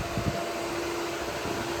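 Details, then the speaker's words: Mitsubishi Conquest drag-and-drive car, radiator fans forced to 100%; a steady rush of air with a faint constant hum and no rattle or bearing noise; airflow much stronger than before, fans normal. "that's moving air it was not moving air that good before we're moving air now a lot a lot of air it's flowing"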